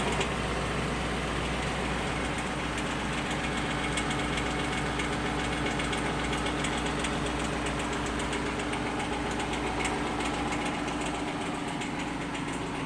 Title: Lexus LS460 clicking noise